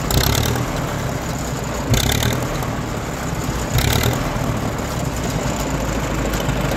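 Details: 1934 Allis-Chalmers M crawler after fitting a new carburetor float: old petrol engine idles steadily and low with a couple of brief throttle blips; runs great.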